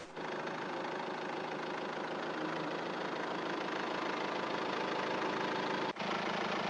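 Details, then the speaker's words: Diesel engine with 255,000 km idling on discount diesel treated with C99 additive: steady, even idle with soft, muted clatter and no harsh knocking; smooth, healthy combustion. "Ici, vous entendez vous-même sur un moteur de 255000 km la parfaite combustion du carburant traité avec du C99 GL."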